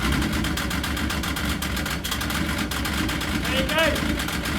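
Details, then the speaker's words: Yamaha RS Viking snowmobile after a carb clean, warmed up indoors: a steady, even burble settling into a smooth tick-over with no stumbling or misfire. This is a normal idle and how it should sound, not rough after the summer. "Perfect. That's what it should sound like. None of this when you fire it up. You know, after a summer, should it be running rough? It should sound just like that. That's perfect, that is."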